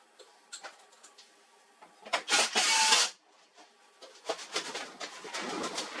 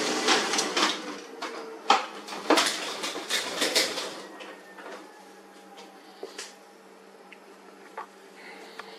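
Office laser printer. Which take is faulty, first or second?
second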